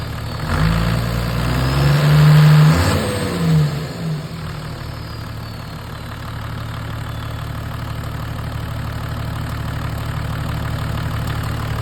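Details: Toyota Land Cruiser HDJ80 diesel engine revs briefly, then idles with a faint, steady clicking of about four clicks a second.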